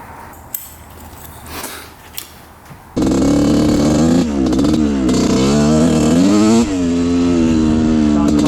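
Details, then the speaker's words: 1986/87 Honda CR125 two-stroke after raising the needle clip one notch; fires up and revs crisply, rising and falling without bogging or breaking up. Clean revving, bog fixed; the oversized pilot jet was the cause. "all right this thing is running almost perfect now um it doesn't break up at all it's really nice"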